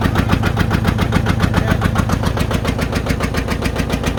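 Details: John Deere 830 Industrial two-cylinder diesel, first start in at least 20 years after water pump repair and fuel bleeding: slow heavy uneven thumping about three or four beats a second, number one cylinder not firing; later smoothed out.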